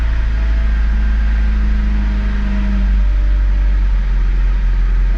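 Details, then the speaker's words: 1996-2000 Honda Civic LX (D16Y7) warming up: idle runs rough and hunts, the RPM gauge bounces, and the engine stumbles toward stalling. Cleaning the idle air control valve fixed it. Rough hunting idle from a dirty idle air control valve. "starts up fine and when the car starts to warm up it'll just start running rough and eventually die as you can hear and see that uh RPM gauge is kind of bouncing back and forth"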